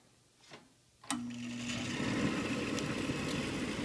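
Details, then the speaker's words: Gas furnace restarted after tune-up and flame sensor cleaning: a click, then the exhaust (draft inducer) fan spins up first to a steady low hum without rattles or scraping, before igniter warm-up; normal start-up sequence. "exhaust fan comes on first. It's usually the regular sequence of operation."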